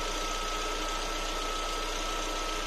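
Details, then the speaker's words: Lada Vesta after adjusting the adsorber purge valve to remove its rattling tick: even, quiet idle with only faint soft ticking, valve no longer heard in cabin or under hood; normal idle. "звук стал более комфортным ровном тихим клапана и не слышно салоне его не слышно под капотом"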